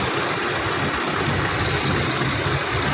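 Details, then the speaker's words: 2013 Toyota Sequoia with a no-crank, no-start fault, after swapping back the reversed starter relay and fuel pump relay: it starts and idles smoothly with a steady low rumble and no knocks or misses. A normal idle. "Na-start na siya. Yan umaandar na. Okay na."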